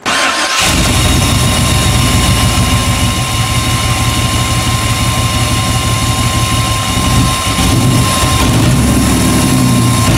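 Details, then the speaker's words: 1998 Chevy van 5.7 V8, back after injector repair for a two-cylinder misfire, with lean codes P0171/P0174 after intake manifold removal: starts into a lumpy, uneven idle and stalls when put in gear; intake vacuum leak. "что то случилось еще он не работает как положено глохнет при включении передачи"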